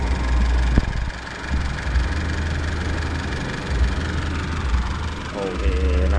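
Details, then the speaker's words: Older Isuzu D-Max diesel with a hot no-start, after a roadside workaround: steady, even idle at about 900 rpm (it rose about 100 rpm before the temperature sensor step) with no misses or knocks. Normal idle. "เครื่องยนต์เดินเรียบเหมือนเดิมนะครับผมก็คือมาอู่หรือกลับมาบ้านได้ปกติเหมือนเดิมนะครับผม"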